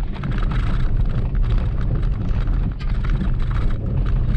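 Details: Maruti Wagon R, car moving: dull, uneven low clunks and rattles from the front suspension on both left and right sides; a worn lower ball joint is the likely cause.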